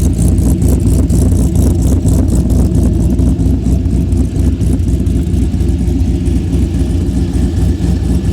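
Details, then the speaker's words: Chevy Blazer cammed V8 after fitting 2.5-inch exhaust pipes: loud lumpy choppy cam idle with deep rumble, revving up cleanly; healthy, noticeably quieter than open headers. "Well, I got the exhaust done. It's a lot quieter now."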